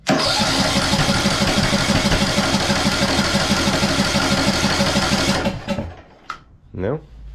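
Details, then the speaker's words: 2014 Ariens (Husqvarna) 42-inch riding mower, throttle cable not closing fully: steady cranking about three turns a second never catches; ignition timing off, owner first suspected fuel or stuck valve. "fuel this thing he's backfiring like crazy so let me guess we got a stuck valve too or what"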